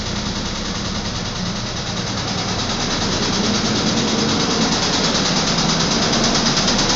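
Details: Nissan Pathfinder engine running: regular deep knock about three times a second, connecting-rod knock from a spun rod bearing.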